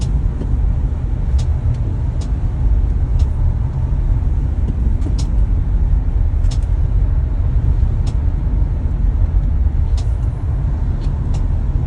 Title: Tesla model y clicking sound. Hasn’t been a week since getting service for this clicking sound .